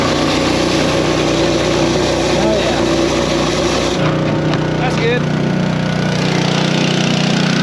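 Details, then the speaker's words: Newly installed small single-cylinder motor on a farm sprayer, first start with choke on and fuel open: it fires and settles into a steady, even chug with no misses or knocks. The new motor works fine. "good news is new motor works i mean it should it's new"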